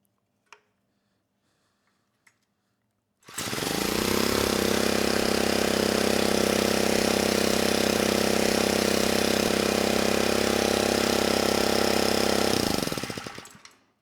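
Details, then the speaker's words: 1970s Honda E400 generator, not run in over a decade, after a carburetor cleaning: the small engine holds a steady, even drone for about nine seconds under a light load; it runs healthy. "130 volts and the engine sounds good very nice"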